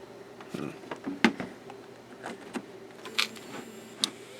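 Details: Failed hard drive at power-on: sharp, irregular ticks about a second apart as the heads keep seeking and the drive never becomes ready. It is not a classic click of death.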